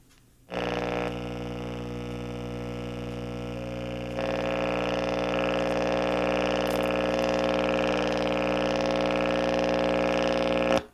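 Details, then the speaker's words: Early-1990s Bose Wave Radio AWR1, non-working when received: a steady loud buzz with a low hum under it from switch-on, unaffected by volume. Filter capacitor or power supply failure is suspected; not confirmed. "So, the volume has no effect on the uh noise. So, in an old tube radio, that would be the filter capacitors. Very, very noisy."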